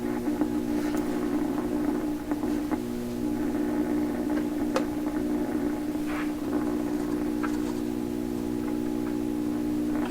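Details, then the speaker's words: Hum on a 1928 RCA Victor Model 28V radio during re-alignment with a signal generator after new capacitors were fitted: a clear, steady low hum from the speaker under weak, crackly audio, which the owner says seems to modulate the audio signal. "so the hum I'm hearing they can very clear hum coming out of speakers and I it sounds to me like it's modulating the audio signal"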